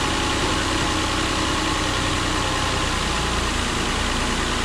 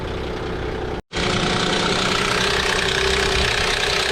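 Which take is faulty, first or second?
second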